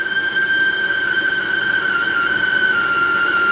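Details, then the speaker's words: Machine cutting a spotlight base: steady piercing single-pitch squeal through the cut over low machine hiss; owner unsure if machine or cutting, assumes the belt squealing. Cause unconfirmed. "And that sound is really annoying. I don't know if that is the machine or me cutting the material. It's away. So, I would assume that was the belt squealing for life."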